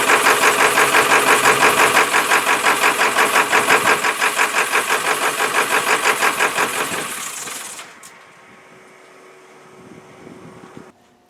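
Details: 1995 Ford F250, 7.3 L Powerstroke diesel, cold winter weather, after about 5–6 minutes running: hard rhythmic knock and rough idle, rpm sags and engine stalls.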